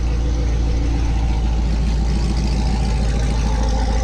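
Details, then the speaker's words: C7 Corvette automatic V8 just after an MSD intake manifold install, before tuning, listening to the exhaust: deep, even burble with a steady lope, no ticks, misses or stumbles; normal idle. "Freaking, everything seems to be running good."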